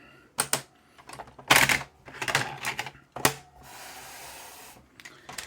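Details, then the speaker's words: BASF screw-shell cassette rattles and clatters in uneven bursts with smooth whirring between, when rewinding near the beginning of one side; the deck plays other cassettes fine, so the cassette itself is suspected. "so it seems to be when one SPO when it's getting to the beginning of the side it that's going to make a racket"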